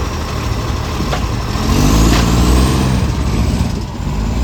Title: City of Joondalup loud roaring accco SL061 exhaust leak